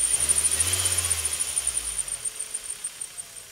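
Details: Kia Carens at idle: a thin, very high chirping squeal pulsing several times a second, then slowly fading; suspected belt slip, possibly helped by cleaning the belt grooves with a soft wire brush. Cause not confirmed.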